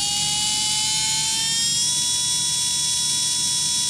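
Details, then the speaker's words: Brushless RC motor on a SkyRC analyzer, revving toward full throttle: shrill rough whine climbing slowly, RPMs jumping, struggling to reach 30,000 rpm; failing bearing, motor on its way out, possibly other abuse damage. "And look, it's struggling to get to 30,000. So yeah, that's definitely on its way out."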